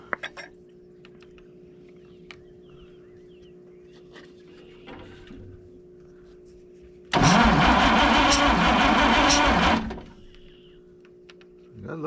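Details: Michigan 35A wheel loader recovered from a weed pile: starter cranks about three seconds with an uneven beat where one stroke pushes back less; number one cylinder has low compression.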